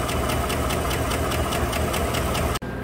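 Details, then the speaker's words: 2015 GMC Sierra 5.3 V8, cold, codes P0300, P0304, P0172 and P0324, with sharp even ticking over the idle on the right side, found with a stethoscope. Bent number 4 exhaust pushrod found off its rocker arm. "i wonder if it has a damaged push rod bent pushrod or something"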